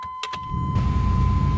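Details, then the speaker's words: 1996 Chevrolet Blazer LS, started up to warm it for a transmission fluid check: chime, then the engine catches quickly and settles into a smooth, even idle; starts easy and runs smooth, a normal start. "starts pretty easy runs pretty smooth it'll get me back and forth to work"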